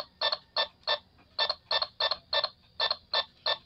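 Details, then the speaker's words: IR remote control tested with AM transistor radio: sharp ticking bursts about three a second heard through the radio with each button press; remote is transmitting and working. "as long you can hear the ticking sound it means that it transmits signal going to your unit"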